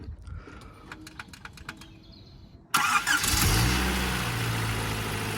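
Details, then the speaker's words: Toyota Supra after auxiliary belt change and tensioner check: a few light clicks, then the engine starts cleanly and settles into steady idle with no belt squeak. "There you go. No squeak."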